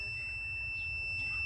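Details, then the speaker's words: Pontiac with an ABS warning light: the multimeter on continuity gives a steady, unbroken high-pitched tone while testing the yellow harness wire end to end. The wire is good, with continuity. "that buzzing that's continuity that tells me that the yellow wire is good it receives the signal from this end of the harness all the way to the other end"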